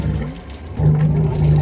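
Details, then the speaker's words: 2020 Malibu 23 LSV wake boat with M5DI engine, out of the water on the raw-water hose hookup, idling to warm up before an oil change: a low rumble with steady gurgling water from the rear exhaust; normal raw-water discharge. "And instead, water is flowing through your engine right now, and it will instead come out through your rear exhaust serve pipe."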